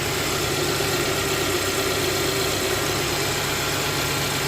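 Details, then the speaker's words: 2011 Hyundai Sonata 2.4L SE just after fitting a throttle body spacer with cold air intake reattached: steady, even idle with a soft constant hum and no whistle or hiss; normal idle, no supercharger-like whistle heard. "let's take a look I don't know I hear any whistle"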